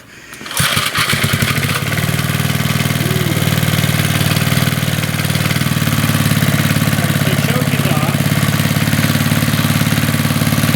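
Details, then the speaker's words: 40-year-old Briggs and Stratton single-cylinder on a garden tiller, cold, fuel fully drained, after a carburetor rebuild and started without starting fluid to prove the fuel pump: a quiet pull, then it catches and settles into a steady, even chug; it started on about the fourth pull and runs good. "oh she runs pretty good now that was what did I do three pulls and then a fourth one started right up"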